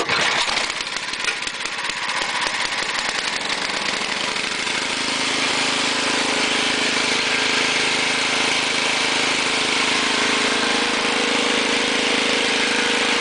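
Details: Ariens two-stage snowblower with 6 hp Tecumseh engine, trash-picked, started with a little choke, throttle on fast, auger off: steady, even buzzing run at constant speed with no misses, knocks or surging; engine and carburetor working well, normal running.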